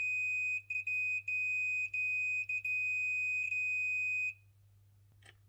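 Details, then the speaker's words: Chaffoteaux & Maury Nexia boiler control board being probed with a tester while a jumper is wiggled: a steady high beep cuts in and out irregularly for about four seconds. A loose contact is suspected, not confirmed. "Putain, celui-là, il a des faux contacts."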